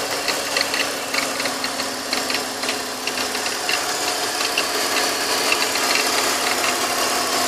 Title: Bmw X3 E83 2004 M54B25 Gurgling Sound - Operating Temp